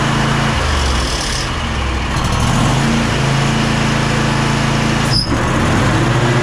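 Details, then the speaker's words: Kohler KT745 twin on a Bad Boy zero-turn mower, after about 20 minutes of running: loud twin drone sags and wavers, bogging under load with loss of power; fuel flow and fuel confirmed good, points to a failing ignition coil. "after I don't know maybe 20 minutes of running or so as you can tell it sounds like it lost all power"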